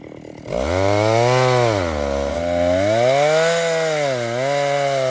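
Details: Vintage 1960s Stihl 08S chainsaw, about 60 cc two-stroke, cutting firewood before high-speed screw richened 1/8 turn; raspy howl surging and sagging under cut instead of holding revs; owner thinks it needs more fuel; lean high-speed mixture.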